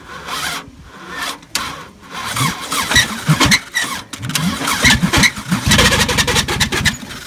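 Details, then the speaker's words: 1999 Subaru Legacy wagon started a few days after its last run, after the timing belt broke and destroyed the timing: ragged, uneven cranking and stumbling running with irregular bangs, engine ruined. "Yeah, you can hear it's not healthy at all. Oh man, this engine's junk."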